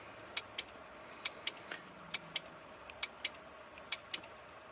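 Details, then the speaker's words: RB25-swapped Datsun 240Z, key out, 30 amp main fuse plugged in: crisp paired clicks about once a second, engine off; ignition relay cycling repeatedly as voltage swings 2 to 11+ volts from an electrical leak. "this is the ignition God guys sorry I knew better than to do that but well this isn't working ignition relay going over and over and over"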